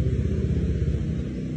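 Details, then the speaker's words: Honda Vario LED scooter, warm after a 15 km test ride: steady low, even putter at idle with no ticks or knocks; engine quiet and stable, no odd noises, also starts easily cold. "Nah, ini buat kondisi engine-nya tuh senyap suaranya, Teman-teman. Enggak ada suara aneh-aneh lah."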